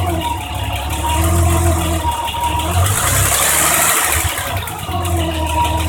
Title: BMW m20b25 noise after valve adjustment